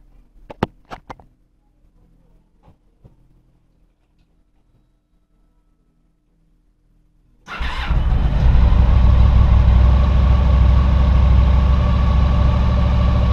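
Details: 2000 Honda VFR800, fuel-injected, restricted, started after 6 months standing on old fuel: a few clicks, then it catches into a rough, lumpy idle. One cylinder is dead with its exhaust pipe cold.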